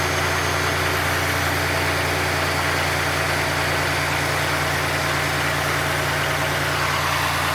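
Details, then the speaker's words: 1990 Oldsmobile Trofeo 3.8L V6, cold, after replacing lines: steady, even fast idle with a smooth low drone, no misses or hiss; normal cold fast idle. "like actually you know what now think about it I think that's normal Idol when it's are cold"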